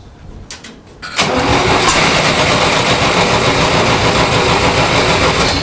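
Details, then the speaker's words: 1960s Massey Ferguson 165 petrol tractor churns steadily turning over without catching; carburetor bowl not filling fast enough; later fires with carb cleaner sprayed in; cranking, no start from fuel starvation. "And I really don't think it's flowing fast enough, but that's okay."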